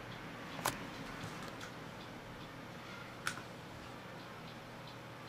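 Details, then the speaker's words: 2.5-inch 320 GB hard drive powered from a Salvation Data power supply, before data recovery: quiet hum with a sharp isolated click about every 2.5 seconds, "like playing Samba"; computer recognizes it only with delay and data cannot be read. "if you can hear it's like playing Samba right"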